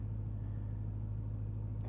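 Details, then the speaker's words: BMW E92 M3 at smooth even idle after repair, road test and AC regas; steady low hum with no ticking, knocking or other concerning noises. Normal idle. "I now have um some fresh AC gas in there for the reasons I mentioned as well no dodgy noises that is what we like"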